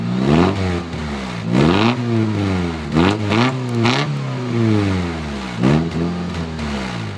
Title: New rice exhaust :D 4" magnaflow with a nice exhaust leak